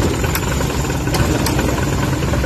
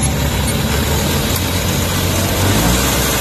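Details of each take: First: Suzuki K6A engine idling with air-con on: low, uneven rumble and shaky throb as the engine struggles with the AC load, an IACV idle-up issue, later fixed. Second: Suzuki K6A petrol engine idling with the aircon on after the IACV idle-up fix: steady, even idle with no vibration or hunting; normal idle with AC on.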